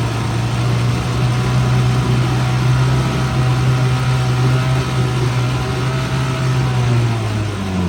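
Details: 1959 Johnson 3 hp Seahorse outboard with internal tank, likely unrun since June, run in a test barrel at 30 degrees before winter storage on proper oil mix: steady low buzzing idle, no misfires or knocks, smoking in the cold; healthy.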